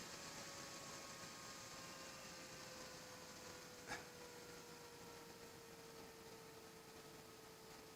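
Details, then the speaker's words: Desoldering gun's cooling fan (12V fan) run on bench supply at 24V, current limited to 200 mA, before voltage reduction; steady airy whir with thin high tones sagging slightly in pitch; loud fan noise. "oh does make some noise it is super powerful um let's switch on you see it does make some racket but this is a 24 volts we will operate it at 18 volts"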